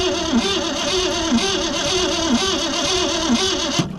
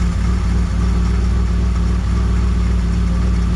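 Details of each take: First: 1963 Mercury Comet 260 V8, Autolite 2100 carburetor, not driven in 25+ years: starter churns with slow steady beat about one surge a second, never catches; spark present but no fuel because the accelerator pump is blown. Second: 1963 Mercury Comet 260 V8, not driven on the road in 25+ years, Autolite 2100 carburetor still needing rebuild; steady, even, quiet low idle with no misses or knocks, runs good despite the carburetor; power valve possibly blown.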